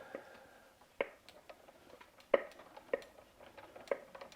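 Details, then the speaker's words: Well-used EVE double-drive spinning wheel being treadled: sharp wooden clunks, about one a second but uneven, from a slightly worn piece; clunking from worn part. "so you can hear it clunking and that's due to that piece that's a little bit worn out so I'm gonna figure out how to remedy the clunking"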